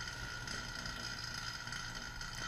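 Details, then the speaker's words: 1993 Chevrolet Corvette C4 A/C system after new evaporator and condenser, vacuum pump with valves open pulling down system: steady even whir, mid-pitched hum, faint hiss; pump still evacuating moisture, note changes when fully down. "so open those back up let it keep on sucking out whatever it's getting out of there moisture or something"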